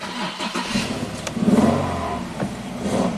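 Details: 2008 Infiniti G37S: fires up, rises briefly, then stumbles and dies within seconds as if out of fuel. No codes set, and a new fuel pump made no change. Start then stall, cause unknown.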